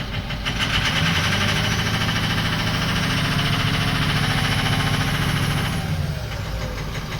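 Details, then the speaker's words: 2004 Ford 6.0L Powerstroke diesel after FICM repair, voltage now holding 48 V: runs better but still misses on one cylinder, uneven lope with a beat regularly dropping out; injector number one control circuit fault code was logged earlier. "definitely runs better but it's still missing on a hole"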